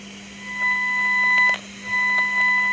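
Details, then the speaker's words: Homemade noise/interference tracer probe used in trace mode on circuitry: a steady audio test tone with a low hum beneath, broken by sharp crackling pops; crackle on the tone, no bad components found yet. "and we're still picking up our tone, and we've still got the crackle on it, but we're not picking up any bad components just yet."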